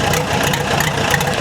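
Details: Case dozer diesel, cold, not yet at operating temperature, owner reports low compression and white smoke: idles unevenly with a lumpy, irregular knock and shake; a sticking injector is suspected, not confirmed.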